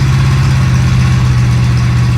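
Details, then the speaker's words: 1937 Pontiac junkyard-rescue V8, just restarted while being tuned, possibly now picking up gas from the tank: low, lumpy, uneven loping idle with heavy bass drone, running longer than ever; only about 10 degrees of timing, badly retarded, to be advanced further. "That ran longer than it ever has. Yeah, I think it might have picked up gas. It's only got like 10 degrees of timing in it. I will advance further."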